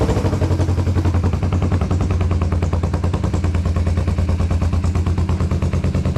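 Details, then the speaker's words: 1981 Yamaha XS400 Special twin after carburetor float rework, throttle closed: rapid uneven pops and spits, one cylinder misfiring; owner suspects fuel hasn't yet filled that carburetor's bowl. "She's popping and spitting. I'm gonna give it a second. Maybe the gas hasn't gotten to that carburetor yet."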